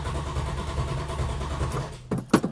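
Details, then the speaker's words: 1971 Plymouth Hemi Cuda after sitting: starter cranks engine in even rhythm without catching, then a few clunks; carburettors bone dry as modern fuel evaporates from open carb circuits; long cranking, no start. "see the modern fuels all evaporate out of these open circuit carburetor systems so every time you go to start it it's completely bone dry"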